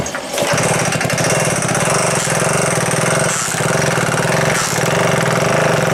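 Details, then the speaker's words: Old moped turned over by pedaling, no spark yet: rapid rhythmic internal knocking that fades and returns every few seconds; cause unknown, possibly big-end bearing but owner doubts it; engine to be disassembled. "all right so you probably heard at the beginning it was knocking and then you would have heard it vanished which is very strange"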